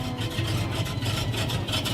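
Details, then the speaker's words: 1970 Pontiac Firebird Formula with a 350 V8. A rough, fast rasping rumble rides over the idle. Abnormal engine noise of unknown cause that the owner cannot identify. "let's stop this piece up real quick I hate that sound and I've got no [ __ ] idea what it is oh"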